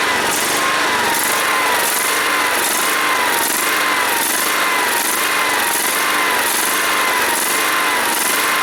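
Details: John Deere SST-15 Spin Steer riding mower, jump-started after its fuel was emptied and its carburetor cleaned and adjusted; steady fairly high-pitched single-cylinder drone with a faint slow swell, holding speed and running smoothly.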